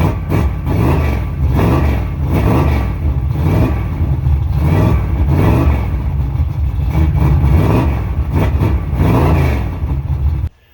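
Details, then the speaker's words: 1986 Chevy C10 Silverado, 350 5.7 V8, just after an oil leak fix and timing turned up: low idle surges roughly every second and then dies, won't hold an idle; owner believes it's getting gas and suspects it's just cold, distributor being tightened. "she's not wanting to i'll idle uh i'm pretty sure it's getting gas to it so uh she might just be real cold nature"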